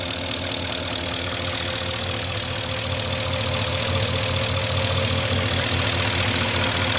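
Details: 2004 Porsche Cayenne S 4.5 V8, about 50k miles, three minutes after a cold start: a fast light tick about three per second over a steady idle. Owner thinks it is normal, not scored cylinders or piston slap; unconfirmed.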